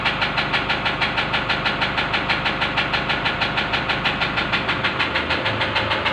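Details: Sharp, regular knock about three per second over a steady, unchanging engine idle; suspected injector knock, not confirmed.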